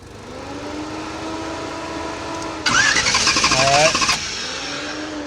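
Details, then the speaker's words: 1969 Pace Car with Sniper fuel injection, stalled after a backfire at 55–60 mph: even starter cranking about three beats a second, never catches. Fuel pump works and the pink wire has power, but there is no spark; cause is a failed distributor drive gear. "Now, we're going to go ahead and crank it, baby. So, we're going to see if we have a spark. All right, no spark."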